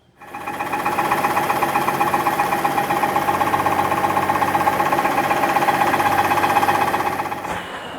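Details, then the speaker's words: 2015 Mercedes-Benz S65 AMG after a full engine rebuild, first start with the exhaust fitted; a fast, even clatter about four per second over the idle right after start-up. Suspected cause: the replacement starter motor touching the engine. "That's not a good sound. Please don't tell me I have to rebuild this engine again."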